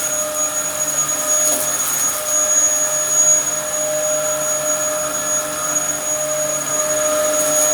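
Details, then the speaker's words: Likely the Dyson DC07 upright from a neighbour, mint apart from dirt but with a broken chassis, running: steady high whine with even rushing airflow, no rattles or pitch wobble. Running normally. "it came from my neighbor they got a shark and didn't want it and it works okay"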